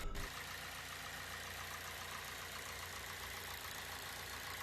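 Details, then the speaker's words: Car engine at idle after the alternator's worn internal bearings were replaced, curing a harsh squeal and rumbling; the belt and tensioner had already been changed without effect. Idle is now quiet and steady, with no squeal or rough hum. "看看还有没有之前的那种刺耳的异响声。来，打车。这小声音听着太完美了。"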